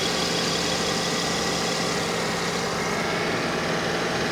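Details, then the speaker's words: Mercedes under the hood: smooth, even warm idle with a faint change as the A/C compressor cycles on and off; engine sounds healthy and quiet. "Engine sounds good. You can hear the compressor cycling on and off."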